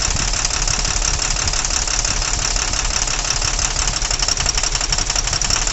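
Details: Tata truck with Cummins BS4 diesel, heavy vibration and no pickup: sharp regular tapping about three per second over idle, persisting through injector cut-out tests; valve knock.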